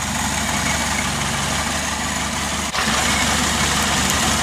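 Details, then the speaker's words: Rebuilt carburettor and fuel pressure regulator on a Mk2 Ford Escort; after priming with the fuel pump and lid snugged down, the carburetted petrol engine idles smoothly and steadily with no misses, hunting or hiss, and no leaks found. Normal idle. "yeah so the pressure regulators full up now and that will be filling up the carburetor now there seems to be running pretty smooth"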